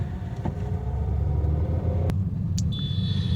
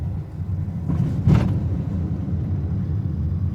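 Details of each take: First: Honda Amaze driven over a speed breaker before suspension work, heard inside the cabin: low rumble with a sharp knock and lighter clunks, suspension noise. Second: Honda Amaze after full suspension work with new parts, driven over holes: steady low road rumble with no clunks or knocks; suspension quiet and sound.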